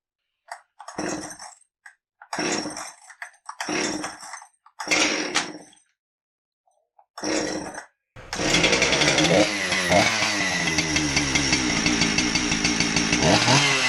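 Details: Husqvarna 372XP chainsaw, previously wouldn't start, after a new fuel hose and anti-vibe mount spring: a few pulls, then catches and runs with a steady, clean, even buzz; normal running.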